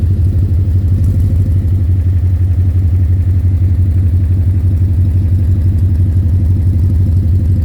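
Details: 2010 Ford Mustang GT V8 at idle: a rapid, fairly even knock of about three per second in the rumble, louder by the oil pan and torque converter/transmission. Suspected rod knock, lifter tick or loose torque converter; unconfirmed.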